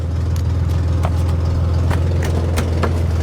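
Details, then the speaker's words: 1963 Chevy Corvair idling after years unused. It stays idling, and the owner feels the carburetors are well tuned. A smooth, even low idle with faint top-end ticking; normal. "It ain't got no coolant. And it's staying idling. I think these carburetors are tuned better than the ones on my Monza."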